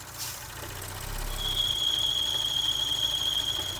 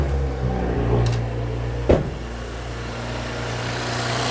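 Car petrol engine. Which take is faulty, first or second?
first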